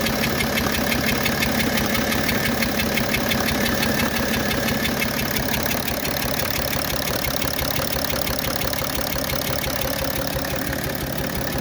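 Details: BMW 730d M57 diesel with erratic idle, more smoke, and long cold cranking idles with a harsh gritty grinding over a rapid uneven pulse; new noise, owner replaced glow plugs, pressure regulator, EGR, throttle body, cause unknown.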